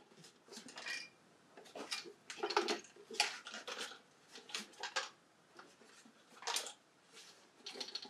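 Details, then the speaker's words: Pace MBT-250 rework station with weak vacuum, being rolled over: irregular metallic clinks and clatter from something loose inside the case; owner hopes it is not a metal piece shorting something. "hear that something is rattling around in there so hopefully hopefully is not a piece of metal that's been shortened something out"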